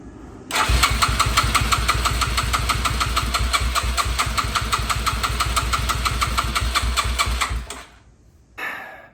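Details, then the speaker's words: 2006 Yamaha TT-R230 with confirmed compression, spark and fuel, new petcock, fresh 91-octane fuel: starter cranks steadily for about seven seconds but it never catches; owner suspects the cheap aftermarket carb is gunked up inside. "back to the drawing board so we've already confirmed it's got enough compression it's got spark and it's got fuel going to the carb but I've got a suspicion that the carb is just simply way too gunked up in the inside"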